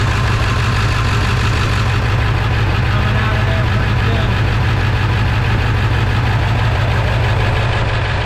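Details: 1999 Ford F-350 7.3 diesel idling cold, with a leaking fuel bowl water drain valve: heavy clatter and an uneven, loping beat of roughly one lurch a second, a rough cold idle; cause not confirmed.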